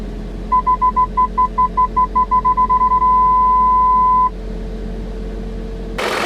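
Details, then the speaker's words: 2000 BMW M5 (E39): parking distance control beeps speeding from spaced pulses to a continuous tone when walking in front of the sensors, high-pitched from the speaker, lower-pitched from the rear; normal operation. "PDC is on you'll hear the high pitched beeps come from the speaker right here the lower pitched beeps come from the back as I walk in front of Those sensors"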